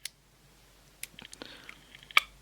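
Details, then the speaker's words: Power switch of a SatLink WS6906 satellite finder tested with a telephone-exchange GPO meter: sharp clicks and a broken, crackling test tone show dirty, intermittent contacts that prevented it working. "the contacts are dirty there's not a good H see there we go it works"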